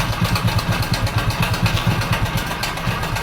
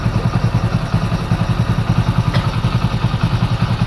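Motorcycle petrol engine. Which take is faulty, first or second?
first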